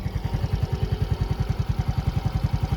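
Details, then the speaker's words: Yamaha Gear Ultima scooter idling just after an oil change to Idemitsu IRG 3 Matic 20W-40: low, even thump about ten beats a second with no tapping or clatter; sounds normal and fresher, character similar to Yamalube. Normal healthy idle. "Normal aja sih suaranya dan enak ya baru ganti oli itu rasanya ee gimana ya? Kayak segar aja gitu suaranya."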